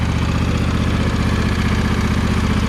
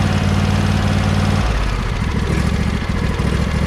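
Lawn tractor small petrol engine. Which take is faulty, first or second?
first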